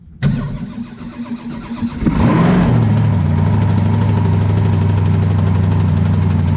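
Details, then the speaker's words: Twin-turbo methanol 434 Chevy V8 jetsprint boat engine being prepared for racing: catches, then deep, lumpy idle with a dull knock of uneven strength; knock suspected in the motor, cause not confirmed. "Fucking motor doesn't sound good. No. Right. It's quite a sound like a knock, eh?"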